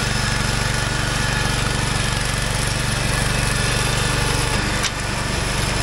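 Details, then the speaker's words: Wheel Horse 416 garden tractor, revived after sitting for years; single-cylinder engine pulling steadily under load with an even firing beat, quiet, no knocks or misses, healthy. "High just listen to this baby purr out here so quiet so [Applause] happy"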